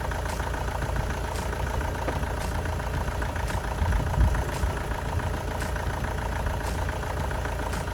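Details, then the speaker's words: Astra van diesel after an engine swap for a boiled engine, first start after fuel was re-primed: steady idle clatter with a faint tick about twice a second. It runs sweetly, with a possible slight low-rev misfire; the injectors may be swapped. Normal idle. "took a little bit of time to get the diesel to come through again that's to be expected after everything's been disconnected sounds like it runs quite sweet"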